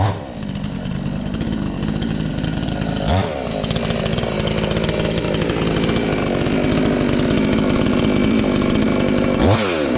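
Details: Chinese counterfeit chainsaw sold as a Stihl (MS 461), newly assembled and first start attempt: pull-start catches, saw settles to a steady buzzing idle, then revs up cleanly and holds speed; starts and runs fine.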